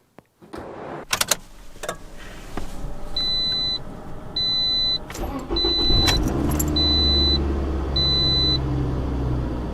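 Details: 2007 Toyota RAV4, about 265,000 miles, that cranked but would not start: key clicks and chime, then it starts promptly to a steady even idle after coolant temperature sensor replacement.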